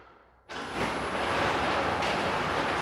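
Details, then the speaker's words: Neglected garage door after replacing the worn rollers and lubricating the hinges and pivots with spray: a steady, even rumble with no screeching. Smooth and much quieter than before. "oh my goodness it's so nice smooth and it's quiet so much more quiet it was screeching and everything else before"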